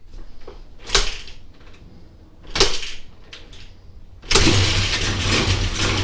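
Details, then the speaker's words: Honda XR200R basket-case project, first start after spraying carb cleaner, oil low, restrictive muffler: a few failed kicks, then the single catches and runs with a loose metallic rattle; timing chain or clutch suspected. "ooo sounds like it's got a timing chain rattling something's rattling almost sounds like from right here the timing chain I believe is on this side"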